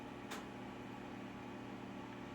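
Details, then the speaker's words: Harris 1 kW amplifier with an RF-1310 exciter and RF-7405 remote, started in standby mode: a single relay click, then a steady low mains hum with faint fan hiss; normal standby hum. "so the first thing let's let's start up the uh the amplifier i'll start up the transmitter we'll go into standby mode"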